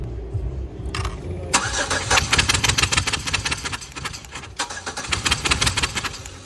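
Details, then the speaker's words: Compression test cranking on cylinder six, relay pulled: the starter churns evenly and the engine still tries to catch, reading about 120 psi against about 125 on cylinder four; even compression. "this is number six still wants to start up but uh again about the same psi about 120 so we'll do some other tests"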